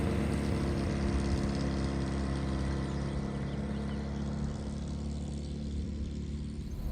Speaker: It's a lovely noise this car when you're running